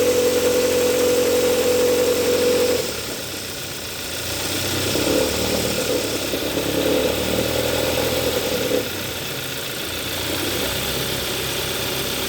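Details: 2014 Hyundai Sonata 2.4L GDI: fast metallic rattle over idle, most audible around 1000–1500 rpm in gear starting off; belt tensioner replaced without change, rattle stops when AC switched off, AC compressor rattle.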